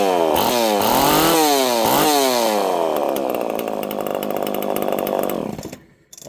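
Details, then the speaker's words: Homelite chainsaw with no decompression valve, untuned and in mint condition, revving up and back down cleanly, then settling to a steady fast idle. Crisp two-stroke rasp; healthy normal running. "Friends, I didn't even have to tune this thing. She's mint."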